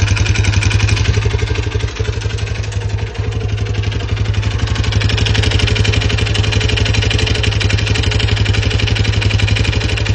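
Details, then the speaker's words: Lifan CityR 175 (162FMK engine), 10,800 km, knocking since it stopped by itself at 90 after refueling and was restarted: hard metallic knock about four times a second over the idling single. Mechanic suspects the head; cylinder and piston to be inspected. Piston knock. "Сам по собі їхав і просто став і почав стукать. Після того двигуна запустився, все заробили, але почав стукати."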